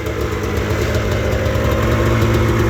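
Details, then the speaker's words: 1998 Arctic Cat Z440 fan-cooled twin-carb two-stroke snowmobile, carburetors recently gone through; steady low burble settling into an even idle with no misses or knocks; normal idle. "idle down, just takes a minute. Oh yeah, I mean, it kind of is what it is. It's an old sled."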